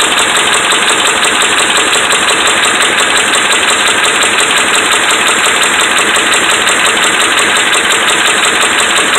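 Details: Dodge Ram 5.7 Hemi: fast, regular metallic knocking about three per second over steady raised engine speed; bad connecting rod and crankshaft main bearings.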